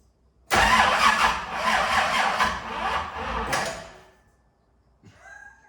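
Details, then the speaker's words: 1971 Camaro with new LS engine and Holley EFI, first start attempt: starter spins evenly for about three seconds but never catches; fuel pump not heard running despite 42 psi reading; crank no start. "there's no fuel pump there you see here the whole time right the fuel pump yeah we got 42 pounds right right but that's not that's not good the fuel pump's not working dude"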